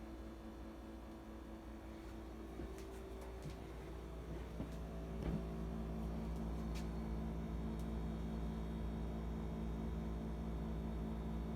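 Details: New Whirlpool refrigerator bought before Thanksgiving 2019: loud, steady low compressor hum and buzzing, louder than normal; noise increased after service.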